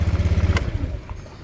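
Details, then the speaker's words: Motorcycle with a dry battery that wouldn't start despite reading over 12.5 V, after battery repair: quick even starter churn at about twelve pulses a second, then the engine catches and settles; starts cleanly. "nah dia hidup ya oke kita coba kembali satu ini yang kedua Oke mampu"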